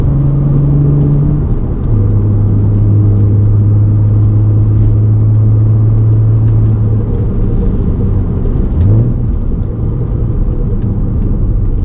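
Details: Volkswagen Golf MK5 R32 while driving: deep steady rumbling drone that follows road speed, from a worn wheel hub bearing.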